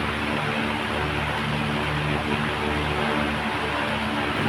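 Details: Oscillating desk fan after replacing the faulty swing gear: low steady motor hum with smooth whoosh, no clicking or ticking. Normal running after repair.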